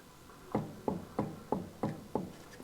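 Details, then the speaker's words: Harley Electra Glide Ultra Limited, rear wheel jacked up and rocked side to side by hand: six dull clunks, about three a second, with visible play where the disc meets the ABS drive. Worn rear wheel bearings. "It's that movement side to side. There it is. Oh my goodness. Listen to that. You can even see it."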